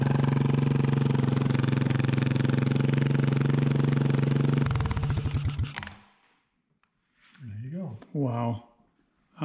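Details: 1988 Honda TRX200SX single-cylinder engine on the bench just after full rebuild (cylinder bored .020 over, new crank bearings and seals, replacement case, JB-Welded stator cover): quick even chuffing at a steady beat, then runs down and stops; smooth, healthy, runs like new.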